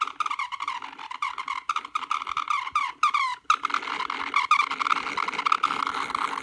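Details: Broken laptop fan: high-pitched whine near one kilohertz that stutters and buzzes unevenly like a distorted fart, with a rattly vibration under it, pointing to a failing fan.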